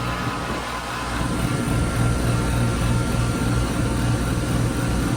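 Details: 2008 Daikin GXC14 two-ton heat pump outdoor unit in cooling mode: even low hum with smooth fan rush; described as working but sort of rattling, though no clear rattle heard.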